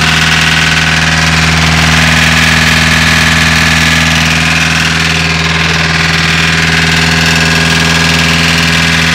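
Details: VW Caddy diesel with a hard cold start idling with a lumpy, repeating pulse about four times a second over the clatter; one cylinder not firing. Owner suspects a valve or crank issue, cause unconfirmed.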